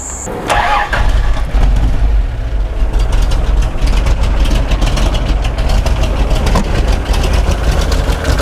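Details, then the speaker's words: Toyota Land Cruiser 60 Series, 13 years of beach and 4WD use, recurring ignition and fuel faults: cranks, catches, then uneven stumbling, coughing idle from a faulty carburettor, fixed by a full rebuild kit. "you can hear just even on Idol she's um she's not very well bit sick this one so full car be rebuild a reckon and she'll be purring like the proverbial kitten"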